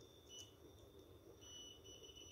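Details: Refrigerator relay continuity test with a multimeter: thin high-pitched meter beep holding steady, dropping out briefly as the probe slips; relay pins show continuity and are good.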